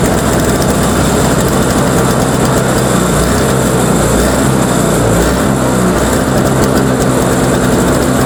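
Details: Toro Power Clear 21in single-stage snowblower, 141cc 4hp two-stroke, pull-started because the electric starter's Bendix isn't engaging. It runs loud and high with wavering, hunting speed; still surging, carb suspected.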